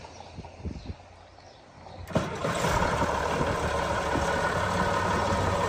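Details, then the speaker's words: 1977 International TD15C dozer, DT466 140 HP diesel rebuilt about 1700 hours ago, recently serviced; a few cranking ticks then catches cleanly and settles into strong steady run, healthy start. "Starts up nice and strong there, guys. Real good running dozer."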